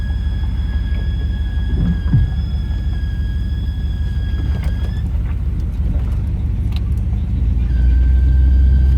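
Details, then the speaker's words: 1989 Ramcharger at idle: a steady high-pitched squeal that drops out and returns as the throttle position changes, chirping when powering through; the squeal depends on throttle position, source undetermined. "Hold this throttle position, it'll do it. Let off the throttle. If I power right through it, you can hear it chirp a little."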